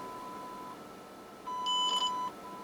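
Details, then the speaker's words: Standard Radio C-55D transceiver on a repair bench (fault was no receive/no audio): a clean steady ~1 kHz tone from the audio generator is injected into the audio amplifier chip; it briefly gets louder before the automatic audio control pulls it down, output about 0.74 V; audio amplifier working. "I mean yes you already hear it that it became louder and the automatic audio control pulled it down"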